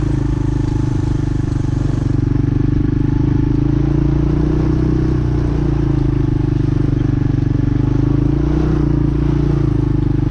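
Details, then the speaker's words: Kids' ATV after shortening the drive chain: a small engine running steady with an even drone and no chain slap or rattle on top; the chain drive sounds quiet and healthy. "i don't really hear the chain rattling as"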